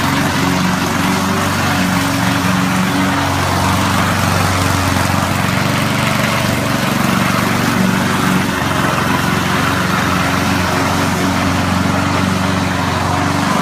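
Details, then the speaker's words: Honda HRD535 lawnmower after repair of gearbox/roller drive problems, small engine holding a steady even putter with no misses, knocks or speed hunting; works satisfactorily, normal running. "I'm just to show you working but it all seems to work satisfactory really it's good enough"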